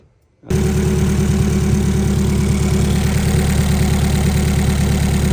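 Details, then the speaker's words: Honda Prelude build at idle on the dyno after a fuel cleanup, stock plug wires; starts and settles into a lumpy, slightly uneven chug with irregular beats; feels chuggy; running very rich, tuning cleanup needed. "what's it feel like it feels a little chuggy you do got stock wires on it"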